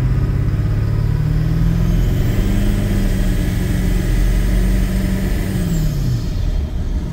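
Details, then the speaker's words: Ford Excursion 7.3 diesel with a big aftermarket air filter, cruising under acceleration: deep drone climbing smoothly with heavy intake and turbo whoosh, no knocks or misses; runs smooth. "hope you guys can hear how good it sounds but I mean it runs smooth"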